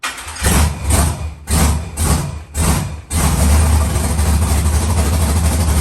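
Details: Rebuilt LS V8 in a Monte Carlo, first fire-up, some MAP sensor wiring not yet connected and smoking: a few cranking bursts, then catches and settles into a steady, even idle with no knocks. Normal idle, healthy.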